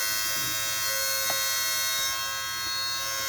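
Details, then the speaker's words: 2002 Mercedes SLK230 with the key on: a steady, high-pitched, shaver-like electrical buzz at one pitch. It comes from a module up front, which could be felt vibrating. It shut off after a couple of minutes. "Wow, it's this module right here. I just happened to touch this and could feel it vibrating, and it's this unit right here."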